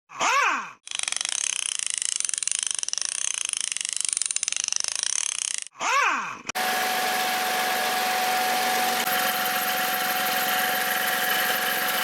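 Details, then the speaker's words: 2012 VW up! 1.0 MPI 44 kW (engine code CHYA) at idle: steady thin high squeal from the ribbed belt drive; belt was replaced for it. "quietscht hier der Keilriemen oder zumindest irgendwas aus dem Riementrieb"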